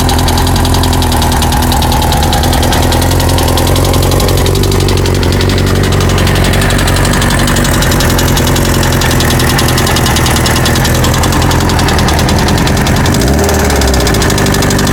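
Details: 1998 Kawasaki ZX-6R motorcycle at idle: steady rapid metallic knock over the exhaust beat, present when bought; owner was told valves or cam chain, owner wonders about rod knock; unconfirmed.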